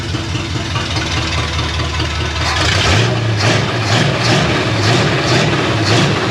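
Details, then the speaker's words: 1964 Ford F100 with a Crown Vic swap and engine swap idling roughly: sharp hissy puffs and ticking from leaking exhaust header gaskets, plus a rattling collector flange; new gaskets planned. "the exhaust the headers are leaking like a Sie I knew these gas CU it would suck I can hear them ticking away"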